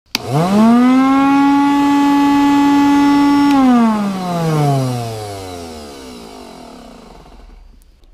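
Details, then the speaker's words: IPC Ecoclean extractor vacuum with a very strange noise: motor spins up to a high steady whine, then winds down with a rough scraping edge; fan blade rubbing the housing. "galera recebi esse ecoclean da IPC com um barulho muito estranho é um barulho que eu já conheço"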